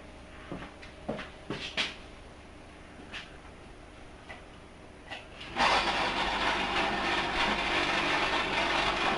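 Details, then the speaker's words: Amcor refrigerator plugged in: after a few quiet clicks, a loud steady buzzing rattle, cause not yet known at first; traced to loose screws letting the drip tray vibrate. "C'est le bruit fait par le réfrigérateur, on ne sait pas pourquoi, pour l'instant."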